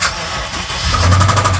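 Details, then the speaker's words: 2012 BMW X5 xDrive50i, N63 twin-turbo V8, bought at auction: catches into a rough idle with a quick, even knocking over it; owner calls it a motor knock, engine to be replaced. "You guys hear that? That is a motor knock."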